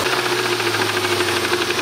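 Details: Subaru Impreza RS boxer engine after a rallycross, idling with a sharp, regular knock repeating in step with the engine over a thin background; rod knock.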